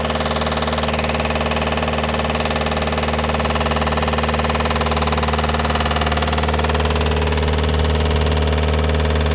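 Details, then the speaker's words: 2008 VW Touran 1.9 TDI idling after a cold start at 13.2: sharp, regular knock about twice a second over the diesel idle, growing louder as the oil warms and thins; sump removal found the cylinder 3 big-end bearing shell gone; rod knock. "The knocking noise is getting louder and louder when the oil is becoming warmer or thinner."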